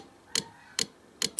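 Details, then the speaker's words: Yamaha 1200 FJ, engine off before first start after rebuild: electric fuel pump forced on with reserve, sharp light ticks about every half second, speeding up slightly, as it primes the carburettors; normal. "sais pas si on entend c'est la pompe à essence là je la mets en marche forcée avec la réserve"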